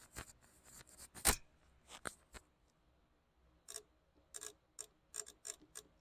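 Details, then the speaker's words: Briggs & Stratton 350777 1152-E1 engine, carburetor fuel shutoff solenoid in a quiet room: crisp single clicks as power is applied and removed, the solenoid opening and closing the main jet needle properly. "So that's opening and closing that needle or block off, whatever they're called. I'm not sure. It's like a backfire preventer type deal, so it don't pop and backfire when you shut it off."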